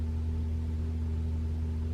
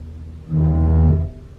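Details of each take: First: 2021 Toyota RAV4 Prime SE in EV mode while plugged in and charging, HVAC on auto with A/C off, at 41°F, heating: a smooth, constant low heat-pump compressor hum. No knocks, rattles or squeals; normal operation. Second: 2021 Toyota RAV4 Prime SE in EV mode, Auto climate with AC off, about 64°F outside: a low horn-like heat pump drone rises suddenly, holds briefly then cuts off; owner says it is worse the colder it is, cause unknown.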